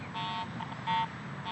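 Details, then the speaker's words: Garrett AT Pro metal detector over mineralized soil above a nickel buried 8 in deep: short scattered tone blips and chatter with no steady, repeatable target tone, only ground response caused by improper ground balance. "I'm not consistently or even at all picking up a good Target signal I'm just getting ground response because I'm improperly ground balanced"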